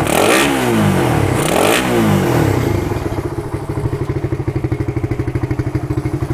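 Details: Suzuki Satria FU with a PWL/PE28 28 mm carburettor, cleaned and re-jetted (main and pilot jets) to cure hesitation when throttled, air screw now set; two clean throttle blips then crisp even idle, no stumbling; carb seems right; normal revving.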